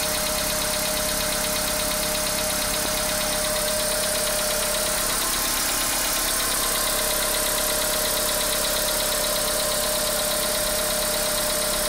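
Idling engine with an uneven light tapping over a steady hum, roughly a couple of knocks per second; knock present, cause unknown.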